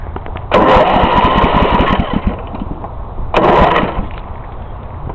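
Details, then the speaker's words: Snapper rear-engine rider mower with a 1993 overhead-valve engine, in neutral: two starter bursts with even, strong compression pulses and no skipping; normal cranking with good compression. "turns over good has good compression you can hear ya"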